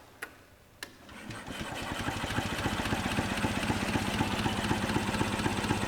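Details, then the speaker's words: 1946 Onan two-cylinder generator that has sat a long time, cranked on jumper cables from a battery thought to be dead, about 5 units of oil pressure. Even starter chug about four beats a second, no firing or catching. Turns over but won't start; compression felt low when hand-cranked. "Just cranking it doesn't sound It sounds good. that bad."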